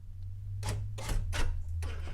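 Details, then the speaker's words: 1998 Camaro in key fob programming mode, holding the fob's lock and unlock buttons: three or four sharp clunks in about two seconds as the locks cycle cleanly; normal power door lock cycle. "so you heard the locks."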